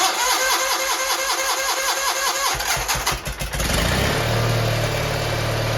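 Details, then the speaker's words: GT18 garden tractor after carburetor work, air cleaner off: long uneven cranking with sputtering catches before it fires and settles into a steady run; hard start, owner suspects flooding, which did not happen before. "to now that's not promising sounds like she's flooding which is not good it was not flooding before"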